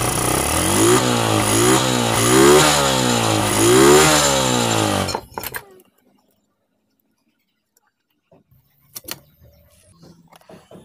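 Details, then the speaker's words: Honda Revo Absolute motorcycle after engine rebuild (was not starting, many engine parts replaced): three or four clean throttle blips, pitch rising and falling smoothly, then shut off; healthy, responsive, normal revving. "Dan inilah hasilnya guys dan sekarang kita coba mainkan gasnya"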